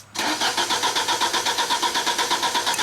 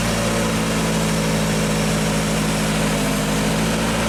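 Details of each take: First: 1995 Genie Z45 lift engine stalls when run from the platform controls, then cranks steadily at about four turns per second without firing. It cranks but won't start from the platform. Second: 1995 Genie Z45 running from the platform controls after a wiring fix: fuel pump voltage now holds at 13.2 V, up from 11.8 V, and the engine idles smoothly with no stumbles. The stalling is fixed.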